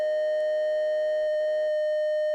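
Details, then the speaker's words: DIY VCO synth module output during saw-to-triangle converter troubleshooting; a steady pure tone with overtones, cut off cleanly partway, appearing once the oscilloscope ground is connected, suspected ground loop between oscilloscope and power supply. "Like I think there's like some kind of ground loop issue between the oscilloscope and the power supply, because as soon as I connect the oscilloscope to my ground here, you can hear that there's this noise,"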